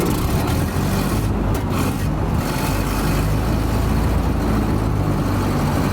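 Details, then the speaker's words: 1930 Ford Model A pickup, off the road since 1986, warm engine, rusty fuel tank clogging the valve: low flat drone that struggles instead of picking up when revved; bogging under throttle, owner suspects fuel valve plugged again. "Give it a couple revs. Nah, it's bogging down."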